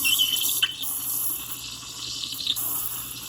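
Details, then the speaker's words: Milk being steamed on a lower-power home espresso machine gives a steady soft hiss with light gurgling and no screech, showing correct steaming technique; the wand used to screech loudly before the technique was learned. "I remember when I first got this machine and I couldn't figure out how to get it to make this sound because it was screeching very loudly."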